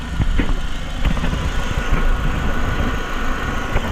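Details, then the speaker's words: Renault Clio 182 idling after timing belts and dephaser replacement, hood open; steady, even idle with a smooth low rumble, smoother and nicer than before the repair, no knocks or misses. "but maybe you can tell it's not so it's actually a little bit smoother and nicer"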